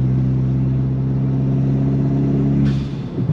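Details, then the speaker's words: Ford Fiesta ST 180 with newly fitted GFB vent-to-atmosphere blow-off valve (stronger spring): steady engine drone under boost, then short sharp hiss on lift-off; venting normally, boost sounds louder, original valve suspected leaking. "be honest with you the actual boost noise sounds a lot louder than it did before"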